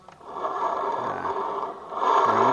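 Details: Honda Vario 125 FI, rear wheel spun by hand: rough, gritty growl from the rear drive, not the wheel bearing but a worn bearing inside the rear CVT pulley, which was replaced; rear drive bearing growl.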